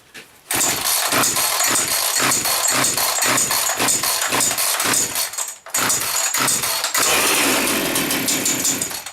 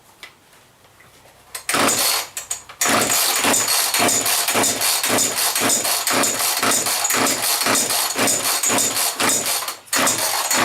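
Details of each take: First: Chainsaw after its carburetor was blown out: it catches on the pull and settles into a buzzy, steady high-pitched run, with a brief stall and restart. Running normally, though the fuel oil mix seems too thick. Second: Chainsaw with fresh mix gas and a suspected leaking cap, throttle lock not holding: repeated rapid rasping starter pulls, about four a second, never catching; hard starting, owner suspects a fuel problem.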